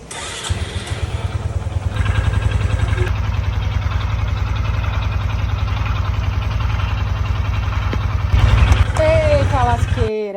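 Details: Honda Biz 125 motorcycle: the engine cranks and catches, then idles with a rapid regular clatter over a low thump, about three or four a second. Abnormal engine noise, cause undetermined.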